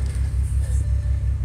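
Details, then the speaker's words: 2006 Bentley Continental with check engine, traction and suspension lights, runs rough, hard brake pedal like vacuum loss: deep idle rumble with a lumpy uneven pulse about every fifth of a second, heard at the exhaust; misfire at idle. "so feels like slight misfire you can hear the misfire on the exhaust"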